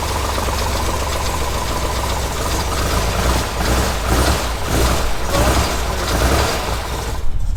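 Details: Corvair rally car flat-six after swapping fittings to restore fuel delivery: steady, low rumbling idle holding an even beat without misses or stumbles; running normally.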